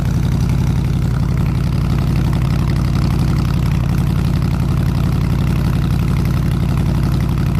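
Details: 302 V8 driving an air compressor, at operating temperature (160 degrees), 9 psi fuel pressure, re-ended plug wires: low, even idle pulsing about four times a second with no stumbles or ticks; runs smoothly.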